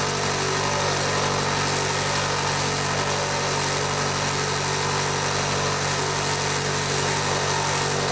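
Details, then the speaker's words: Revamped mini lathe taking a cut on steel box section with a high-speed steel cutter, no coolant: a steady harsh rattle under the cutting hum, from the loose top cover with its interlock switch vibrating under load. "yeah i could have got away with putting some coolers on get nasty rattling noises i know where it is anyway"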